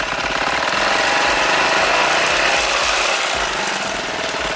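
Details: 1986 Honda Helix scooter, newly running project with drive belt missing: fast, fairly even rapping at about four per second over a harsh, rough-running small engine; an unidentified noise still needs tracking down.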